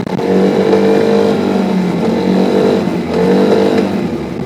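Scooter engine revs up and down twice, with a rough metallic rattle riding on each pull; knocking under load, cause unknown.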